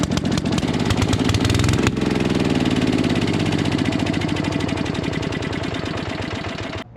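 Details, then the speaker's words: 1957 Gard'n Mast'r tractor, Briggs & Stratton series 23 9hp single-cylinder, long parked, brand new carburetor leaking fuel: thumping fast, blubbery and uneven, running way too rich from a flooding carburetor. "running right but it is running sounds like it's way too rich that is a brand new carburetor"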